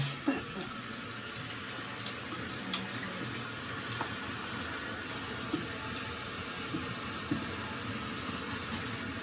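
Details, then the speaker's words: Toilet tank refilling right after replacing the fill valve and flapper with new parts and turning the water back on. A steady even rush of water with no hiss changes or gurgles; normal refill. "And again, you want to just check, make sure there's no leaks underneath. So I'm going to leave the towels there for the moment while the tank fills up."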